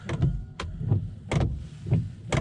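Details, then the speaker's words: Volvo S80 (P3) windscreen wipers on fast: a sharp knock at the end of each sweep, roughly every half second, over the swish; the wiper arm strikes the A-pillar, fixed by loosening the 15 mm nut and repositioning the arm. "today's video we're going to be solving a very annoying problem with the s80 today and we'll be adjusting the windscreen wipers so it doesn't bash on the a pillar here"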